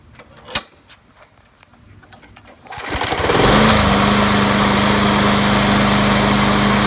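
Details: Craftsman push mower, Briggs & Stratton 6.5 HP, after replacing broken flywheel key, carburettor rebuild and 10W30 oil change: a few clicks and a pull, then fires and holds a steady, even buzzing drone, running normally.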